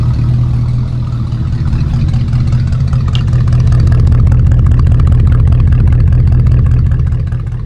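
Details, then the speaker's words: 1963 Ford F100 project truck just picked up: a low V8 idle that swells and sags unevenly instead of holding a flat beat; loping idle, cause not yet known. "All right, new car is here. Maybe you guys can hear it loping."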